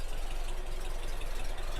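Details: 1964 Porsche 356 SC air-cooled engine at idle: an even, steady low rumble with a fast regular beat and no stray knocks or ticks. Healthy idle.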